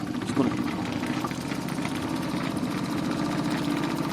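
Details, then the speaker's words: Stuart D10 (double 10) live-steam boat engine, second-hand, rebuilt with Teflon cup pistons after worn brass pistons lost all pressure; brand new and stiff, no Stephenson valve gear, run slowly off the boiler valve: soft even chuffing, vibration only, no knocks, very smooth running. "Il n'a pas de coulisse de Stephenson, mais c'est pas grave. Aucun bruit. Vous entendez à part les vibrations, mais aucun claquement."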